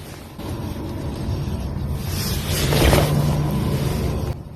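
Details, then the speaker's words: Suzuki Swift daily driver needing a wheel bearing: a low grinding growl over road noise swells as the car gathers speed while driving. Worn wheel bearing. "And also, this sack of shit, which is my daily driver, needs a wheel bearing."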